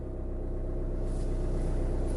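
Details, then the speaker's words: VW 2.0 TDI diesel (2009–2015) started after a 3-minute fuel pump priming to purge air from the fuel lines: it catches and settles into a steady, even low rumble with no stumbling. A clean, normal start. "After you're done running the fuel pumps, go ahead and start your Volkswagen, and you're all set."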